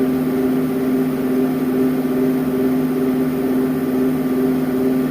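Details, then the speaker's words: Woodgun fan, original motor rebuilt with new front and rear bearings, runs with a steady low hum and a slight harmonic drone, quieter than before; something may still be out of balance, cause unconfirmed. "I can still hear a bit of a harmonic sound something out of balance I don't know if you can hear it on a video but it's slight if not as loud and as it was the first time"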